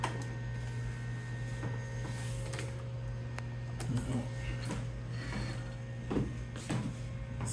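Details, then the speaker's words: 1996 BeBox computer at power-on: steady fan and power-supply hum with irregular gritty crunches and clicks, as if something is spinning up; nothing shows on the monitor, and the crunching source is unconfirmed. "kind of crunchy noises in there and that's not great"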